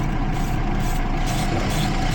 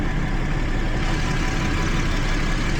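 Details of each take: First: 2012 Jeep Liberty 3.5L V6, misfiring on cylinders 1 and 5 after a coolant leak soaked the engine bay: deep, rough idle with an uneven pulse; spark arcing at a coil boot in the wasted-spark ignition causes the misfire. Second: 2012 Jeep Liberty 3.5L V6 that misfired on cylinders 1 and 5 after coolant soaked the engine bay: after drying and reseating an ignition connection, steady, even idle with no stumble; misfires gone.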